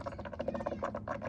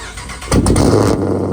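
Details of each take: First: Challenger Shaker at 45,280 miles, after a radiator flush and 10 minutes of running: soft, irregular, wet gurgling and bubbling pops as trapped air is pushed out of the cooling system. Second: Challenger Shaker at 45,280 miles, cold start before a radiator flush: the starter cranks, then the engine catches with a loud flare and settles into a steady, even, deep idle. A healthy cold start.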